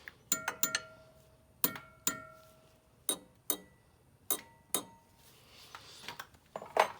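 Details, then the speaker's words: Carriage wheel while mounting a rubber tire, tensioning wires tapped by hand; sharp metallic taps ring at two distinct pitches, the higher outside wire tighter than the inside wire; uneven wire tension. "that means this outside, because it's a higher pitch, this outside wire is a little bit tighter than the inside wire."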